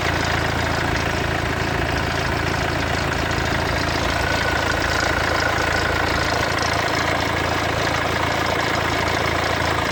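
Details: Mercedes W212 OM651 diesel cold start: rough idle with a dull, regular rattle of about three beats a second for the first 30 s. Suspected alternator clutch or timing chain, not confirmed; later fixed under warranty.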